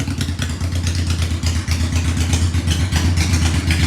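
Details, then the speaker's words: Honda Shadow 750 V-twin at first start after the carburetor was refitted, idle not yet adjusted: lumpy, loping idle, fast and slightly uneven but firing on both cylinders with no misfire; runs much better, normal idle. "it runs so much better I haven't even touched the idle I might not actually turn it down at all"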